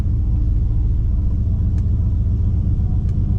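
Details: Gen 3 V8 in a driveway, after loading a new tune file with HP Tuners throttle cracker adjustments, still cold: deep, even rumble holding a steady idle with no misses, hunting or stumbles; normal healthy idle.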